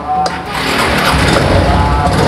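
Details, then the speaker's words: Suzuki Spin scooter that would not electric-start, tested on a known-good test battery: the engine catches right away and settles into a steady run with no labored cranking, confirming the original battery was weak; normal start. "telah menggunakan akhir tes Ini teman-teman motor ini langsung bisa hidup Ya udah saatnya saatnya langsung bisa hidup ini menandakan bahwa akhirnya memang yang lemah ya"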